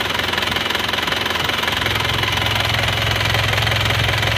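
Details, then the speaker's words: Isuzu Panther diesel rebuilt with custom cast liners: even diesel clatter at idle, steady pulses about 160 a minute, revved with no rough patches, misses or smoke; runs smooth and healthy. "Lur, untuk suara mesinnya seperti ini menggunakan liner cor dan sefer lama itu kita gas-gas ya. Lihat dengar suaranya. Halus ya suaranya."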